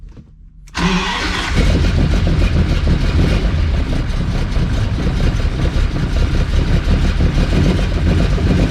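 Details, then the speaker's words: Ferrari 400GT carbureted V12 with side-draft carburettors, as delivered: catches then runs lumpy with an irregular loping beat, won't hold idle and stalls, felt like six cylinders, no power; caused by clogged carb jets and wrong ignition timing. "cuz if you just tried to run it on its own you know the car would stall out would not idle would not stay idling"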